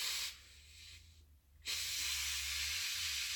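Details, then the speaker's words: Instant Pot after 10 minutes cooking chicken corn soup: a loud, even hiss from manual steam release, with a wet rag over the vent; it dips briefly and returns strong. Normal release. "What we're going to do now is we're going to manually release the steam. What I do is I take a dish rag and I wet it and I'll put it over the steam vent and I'll go ahead and start releasing steam."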